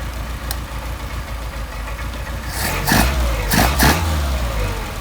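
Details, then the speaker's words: Mercedes 190SL with Solex carburetors, hot start after idle mixture adjustment, back to about 700 rpm: steady, even low idle with quick throttle blips returning cleanly, no wet throats; good set of carbs. "Okay, back to 700 RPM. There you go. No wet throats."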